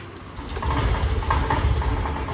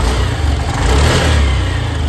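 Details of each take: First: Honda Activa BS6 scooter that won't take revs, new original petrol filter didn't help, no MIL light: uneven note with irregular stumbles and surges on throttle, catching then dropping out; misfire from fouled, over-gapped spark plug. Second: Honda Activa BS6 scooter after a new spark plug, original petrol filter already fitted: engine rises from idle and revs up cleanly with no stumble or jerking that it had before; smooth acceleration.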